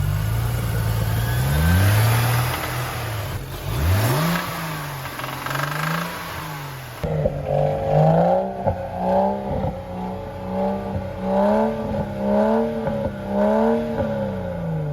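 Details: Auction-bought, previously flooded BMW 335xi M-Sport 6-speed: engine revs up and down with a clattery knock underneath; something knocking inside the engine, cause not yet found.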